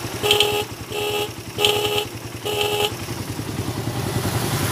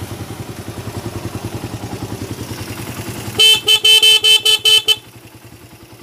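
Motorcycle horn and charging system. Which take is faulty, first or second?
first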